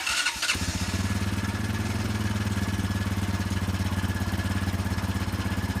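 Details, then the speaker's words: 2001 Honda Foreman 450S ATV, ice-cold engine on a cold Northeast day, started on the electric starter with key on and choke on, recorded at the exhaust. A brief starter whirr, then it fires at once into an even single-cylinder thump: a healthy cold start. "All right, let's try a very cold start. The engine is ice cold. It's cold here in the Northeast."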